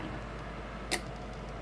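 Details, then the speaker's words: D&A Maverick 250 vintage tube linear amplifier, four driver and four output tubes, driven with about 25–30 W PEP: one crisp sideband delay relay click over a faint steady hum as the amp keys; normal relay click. "Sideband delay does work. You can really hear it clicking."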